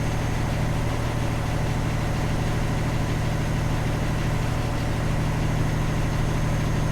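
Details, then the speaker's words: Sick Kenworth T800 log truck, diesel, after suspected ECM fault, warming toward operating temperature at 160: even, steady idle with a smooth low beat, no misses so far before heading onto the interstate. "so far so good hasn't missed any i was pretty certain it was the ecm they're 160 now just trying to get it up to operating temperature and see what happens"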